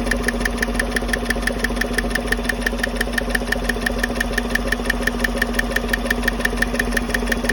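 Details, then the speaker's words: 2015 Chevy Silverado 5.3 V8 at idle, rocker cover off, passenger side: sharp, even tick about three times a second from cylinder 4/6 DOD lifter area; loose rocker or bad roller needle bearing suspected. "Y'all can feel what I'm feeling there. It's definitely that one. Those things ain't oil in the string mount."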